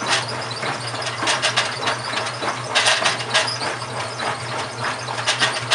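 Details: GE washing machine, model WHDSR315DWW, bought 9/30/06, running: irregular gritty scraping bursts over a low steady motor hum; grinding noise, owner suspects the transmission is going bad, unconfirmed.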